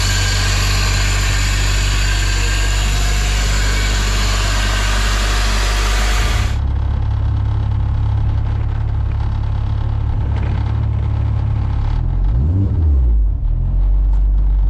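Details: Honda EG hatch with turbo K24 engine reinstalled after spun bearing: steady low idle settling after a few seconds, even pulses with no knocking or ticking; normal idle.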